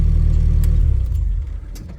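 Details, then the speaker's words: 1986 Nissan D21: after the key is off, the engine keeps rumbling and surging, then stumbles and fades over about two seconds (run-on). Owner blames it partly on old bad gas, easing after a fresh tank; it also had tailpipe backfire. "turn your engine off completely, you can hear the engine still, like it's surging."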